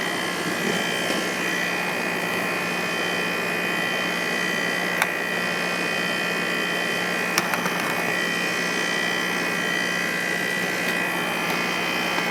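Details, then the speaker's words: Heat pump outdoor unit at 31° outdoor temperature, heard during a service call on water damage from a frozen drain: a steady, even fan and compressor drone with no rattles or surging. The heat pump sounds healthy and runs normally. "you can hear the heat pump already sounds good sounds healthy"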